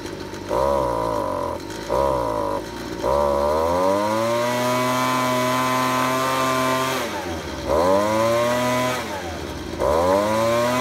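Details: Ryobi leaf blower taken from the trash that would not rev up, after carb spray cleared a plugged, stuck high-speed carburetor nozzle. The small two-stroke snaps cleanly from idle to a high, steady scream and holds it without bogging. Now fuelling properly.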